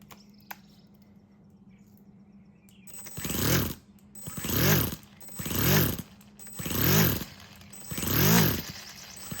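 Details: Four-stroke nitro RC crawler with a newly installed Revo 3.3 transmission, first start on a glow starter with no driveshaft fitted, so no load. It revs up and back about once a second, picking up cleanly and running freely.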